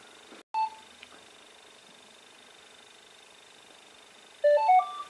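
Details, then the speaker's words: Equinox 600 metal detector switched on indoors by holding the power button about 2 seconds: one short beep, then a quick run of three or four stepped tones; normal power-on beep. "You get it out the box, put it together, and you want to go out and detect, right? So first thing, turn it on, hold it for about 2 seconds."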